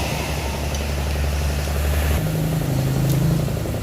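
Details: Old Yamaha Vixion motorcycle idling, just reassembled after being dismantled, with a rough, even, diesel-like clatter and ticking from the head area; loose, collapsed camshaft bearing.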